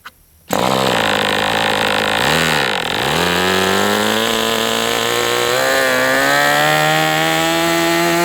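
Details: MDS 68 FS Pro glow engine on a break-in run, after fitting a checked OS No. 8 glow plug: catches and settles into a steady buzz, holding idle though rich on the low end; black oily residue coming out during break-in.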